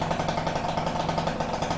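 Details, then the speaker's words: Peugeot Fox 50cc two-stroke moped with Malossi exhaust and new Leovince ZX silencer, warming up after choke start, mic near the rider: fast, even burble at idle, steady beat, no rattles or misses; quieter than before, normal idle. "But this is how it sounds, and it's a lot more quieter than before."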